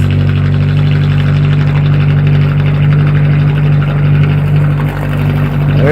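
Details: Atomic 4 inboard boat engine idling at 40–45 psi oil pressure with temperature rising; a deep, steady, even low hum with no chugging. It sounds much better than before.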